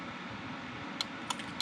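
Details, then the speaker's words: Crimestopper Coolstart aftermarket remote start module: three sharp relay clicks with no cranking; LED flashes twice, indicating hood switch fault, though the hood switch is grounded to the remote start's ground. "you hear the relay click, and the LED starts flashing, which, according to this dumb book, indicates that 2 flashes is problem with hood switch."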